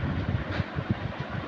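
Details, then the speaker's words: Ceiling fan that previously hummed without turning, now spinning after repair with no blades fitted: soft, even low pulsing as the motor spins freely with no hum or drone, speed fine; normal ceiling fan running. "यह देखो current देने के साथ ही ये fan घूमने लगी और जो पहले हमिंग का फल था वो फॉल्ट तो चला गया और स्पीड भी ठीक-ठाक है"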